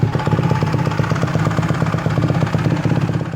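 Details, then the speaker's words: Honda CRF150R that sat too long with a gummed-up FCR carburetor, after the carb rebuild, mid-body gasket and fuel-screw tuning, run up on a stand; a steady, even four-stroke thump at fast idle with no misses, running clean. "All right, guys, got her tuned up, runs good."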